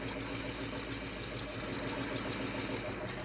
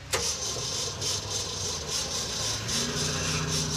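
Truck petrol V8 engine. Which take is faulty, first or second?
second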